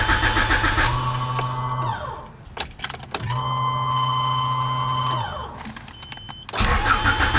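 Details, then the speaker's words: Honda CRX with new aftermarket fuel tank and Walbro 255 fuel pump: two bursts of cranking at about three and a half beats per second with no firing; crank no start because the pump was wired with reversed polarity. "okay so it is some time later and despite all that cranking that we were doing and the fuel pump running the car still would not start"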